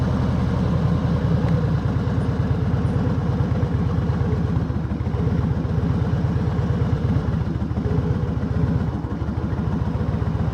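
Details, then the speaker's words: 2005 Harley-Davidson Heritage Classic carbureted V-twin after clutch repair: loud, lumpy, uneven idle that wavers in strength; rough idle, carburetor suspected. "And we're going to test out the clutch because that's what we just fixed. Along with the idle, which it sounds like the carburetor is not super happy."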